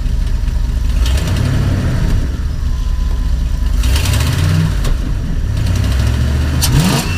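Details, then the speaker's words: Engine after new Motorcraft fuel sending unit install, revved from idle: picks up cleanly and revs freely, rising and falling smoothly with no stumble or hesitation; healthy revving. "I don't know if you can hear that but that sounds like one powerful engine no hesitation"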